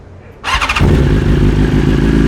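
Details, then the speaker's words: 2023 BMW S 1000 RR, warm, on Brentuning stage 2 ECU flash with Sprint air filter and relocated IAT sensor: quick crank catches at once, settles to smooth even idle, no popping or hunting; start much improved. "But yeah, the start is way better. Yes, and you'll see in other videos, it's gonna be cold and it's gonna start and sound just like that."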